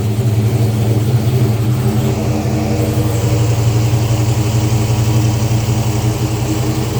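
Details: 2014 Dodge Charger R/T 5.7 Hemi on its first start after a 6.1 intake manifold swap: a deep, steady V8 idle burble with an even low rumble and no hiss or misses; normal idle.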